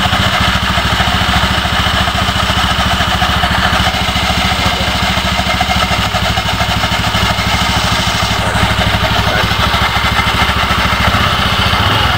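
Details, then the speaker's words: Honda Beat FI v2 scooter idling with the CVT case cover removed, steady idle with a rattly metallic clatter from the drive side; mechanic finds a part loose there, worn from overheating after a long hard ride; loose CVT bearing. "Okay naman talag sir ito yung sira ni ito maluwag to dito ito dumikit overhead sobrahan ng ano takbo"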